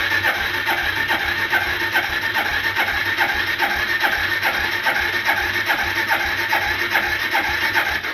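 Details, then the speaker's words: 1995 Suzuki GN250 that sat outside 15 years, on choke, spark confirmed: starter spins the engine steadily and compression is felt at the exhaust, but it never fires. Suspected fuel starvation; petcock checked next. "okay no far out sound it's got no compression at all no no I can confirm we have got compression I can feel it been blown out the exhaust um so it's going to be a fuel related issue probably not getting fuel"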